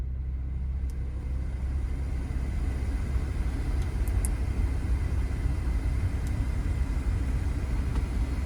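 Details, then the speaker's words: 2017 Audi Q5 3.0T after replacing the blower motor whose bearing was shot and rattling: steady, even rush of air with a low hum, no rattle or ticking; new blower runs quiet, repair fixed. "Oh yeah, that thing is blowing good. Remember when we lowered it down? It was making a little noise. The thing is quiet."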